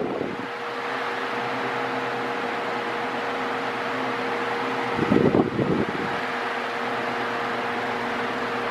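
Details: Mondial Maxi Power V-40-B 40cm 140W fan running oscillating: steady mid-pitched motor hum under airflow rush, noticeably noisy; owner finds the motor too loud, especially on minimum, and airflow weaker than earlier Mondial models.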